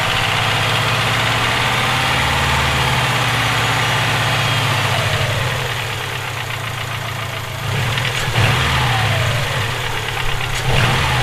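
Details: Subaru EJ257 flat-four at idle: steady regular deep knock about four per second; owner suspects rod knock, unconfirmed.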